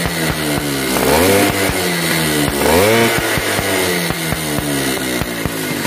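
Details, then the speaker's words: Yamaha V80 two-stroke revved hard twice: sharp, regular popping ticks from compression leaking at the cylinder head at high revs. The owner suspects a missing or damaged head gasket or loose head bolts. "Oke ini dengan kendaraan motornya ketika digas tinggi di bagian aha kepala babi headnya ini atau silinder head nya ini dia bocor kompresi ketika juga tinggi dia menutup menutup"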